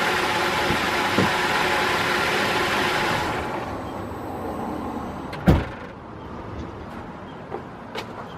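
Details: 2005 Holden VZ Crewman 3.6L V6 Alloytec idling: steady idle drops and thins as each coil is unplugged, then scattered clicks. Isolating coils shows the faulty coil pack is number one, under the intake manifold; misfire from faulty coil pack.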